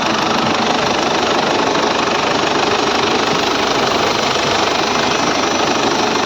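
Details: Ford Everest diesel with morning hard starting, after its four injectors were tested (opening pressure 170–180) and reinstalled: steady, even clatter at idle with no misses, hunting or stumbles; normal idle.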